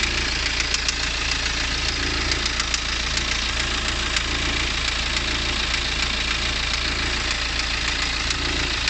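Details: BMW N47 diesel, 177 PS, at idle: sharp ticking knocks, about two per second, standing out over the clatter; owner asks what the knock is, cause unknown.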